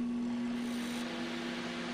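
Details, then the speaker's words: Microwave oven that had not been heating, after repair with wires reconnected: steady low electrical hum with faint metallic buzz, even and unbroken; magnetron working normally again. "you can see it starts to hum again and you hear that little metallic noise that means that your magnetron is working again"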